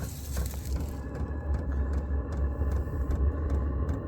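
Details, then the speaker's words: Vevor 8KW diesel heater restarted while still warm from earlier running, turned all the way up; crisp even fuel-pump ticks about 2.5 per second over low fan rumble, normal start-up dosing. "I just turned it all the way up just so see if it would start faster. Oh, there goes the fuel pump."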